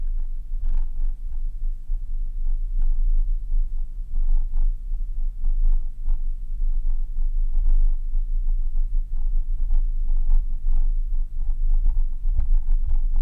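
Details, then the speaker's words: Hi-fi bass reflex loudspeaker driven hard with a low-frequency test signal, cones moving visibly. Deep low rumble with irregular puffing bursts: air chuffing out of the bass reflex port. "on n'est pas mal écoutez bien le bruit d'écoulement d'air"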